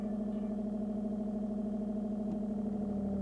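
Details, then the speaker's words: Origine reverse-osmosis water filter: once the inner pure-water tank starts emptying, filtration restarts automatically, drawing from the rear tank. A steady, even low purr holds one pitch with no knocks or surges; the pump is refilling normally. "que le réservoir intérieure d'eau pure commence à se vider le processus de filtration se remette en route automatiquement en puisant dans le réservoir d'eau arrière vous entendez ce ronronnement"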